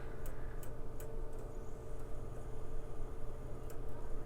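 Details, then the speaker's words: PlayStation 2 with a silver disc and a blank screen: the disc drive makes sharp clicks about every half second with pauses, cause unclear. "we are getting some clicking out of the left console here on its level two silver disc so not sure about that a blank screen that's clicking a lot this is why we test them fully get into a game make sure it really can load"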